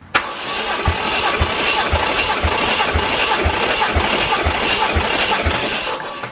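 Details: 1JZ VVTi (JZX110 single-turbo, drive-by-wire) engine cranking on starter during compression test, fuel/ignition disabled; steady even thumps, no weak or missing beats, 180 psi on all six cylinders, healthy uniform compression after engine verified running.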